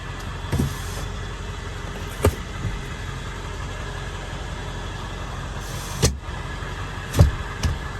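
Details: 1999 Ford F-350 Lariat Super Duty 4x4 with the 7.3 L Power Stroke diesel and 46,385 original miles: a low, steady idle rumble with a few door or cabin clunks over it, and no knock or miss. Normal healthy diesel idle.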